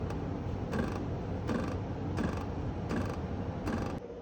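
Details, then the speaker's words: Midea U air conditioner cranking noise: sharp rattling clunk about 79 times a minute over the unit's hum, from something loose inside the electronics box; pressing its wall stops it, fix planned with spacers against outer casing. "so I found the reason for the noise it comes out of the I think um compute box so the entire chip is in here and you can hear the noise here and if I press against this wall it's gone"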